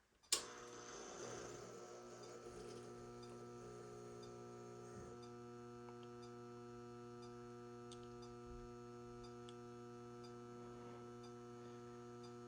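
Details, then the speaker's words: Several HID lamp ballasts (metal halide, mercury vapor, HPS) switched on at once: switch click, then steady, even mains hum with no buzzing or rattle; normal ballast hum at startup. "I don't know why, but I really like the sound of all of these ballasts humming at once with all of the lamps being turned on."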